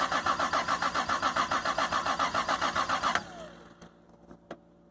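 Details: Single-turbo Toyota Supra with swapped engine, no original ECM, no MAF or O2 sensors, first start after almost 10 years sitting: strong, even cranking about four turns a second for three seconds, never fires; no fuel smell, old fuel suspected.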